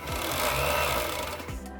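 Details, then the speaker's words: Lenovo M73 mini desktop PC making a loud, coarse lawnmower-like buzzing rattle with busy mechanical chatter; something is suspected stuck in the fan, not yet confirmed. "Now, for a computer to make a sound like this, I think it's pretty safe to say that there is probably something stuck in the fan."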